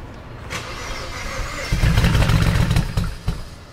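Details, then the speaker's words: BMW 335 (E92) at first start after walnut blasting and fuel pump sensor work: uneven, lumpy idle with irregular stumbles. The owner suspects leftover walnut shells burning off and expects it to clear in a couple of minutes. "Alright, so the reason why it's doing that is because there's probably still walnuts in the engine bay and it has to burn away. But it should do this only for a couple minutes and then it should go away."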